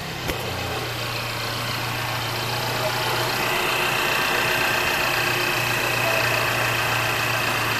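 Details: 2017 Mercedes-Benz E300 turbo, first startup right after engine flush and oil change with 7 quarts of 5W-40 synthetic: steady, even idle hum with faint regular tick, no misses or knocks; normal idle.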